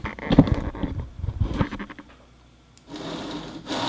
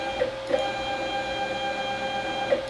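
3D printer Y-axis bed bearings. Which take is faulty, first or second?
first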